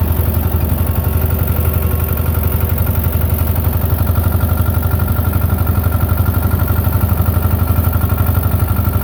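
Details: Belarus 250 tractor, 2-cylinder air-cooled diesel, sat for years, running again; during PTO and three-point test, even steady clatter about four beats per second, no stumbles; normal running after repair.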